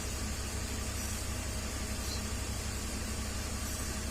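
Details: 2003/2004 BMW 325Xi at idle after a vacuum leak was sealed with a cap in the intake manifold hole: steady, even hum with no stumble or hiss. Idles smoothly and fuel trims are relearning, no longer running lean.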